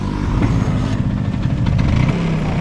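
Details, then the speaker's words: Healthy Vespa scooter engine revved as an example of normal running: short blip of revs climbing cleanly and evenly, smooth with no coughing or stumbling, unlike one with ignition, fuel supply or carburettor trouble. "Nah jadi Vespa yang sehat Itu harus seperti ini guys Jadi kalau misalkan kalian gas ya atau distorter itu suaranya harus halus"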